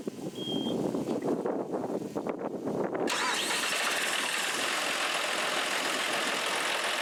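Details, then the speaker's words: John Deere 5075E tractor diesel after cleaning in-tank fuel filter and replacing main filter to cure surging and low power: cranks about three seconds, catches cleanly, steady idle, wind noise; normal idle. "and there go leaks everything looks good it's i don't you running like a champ"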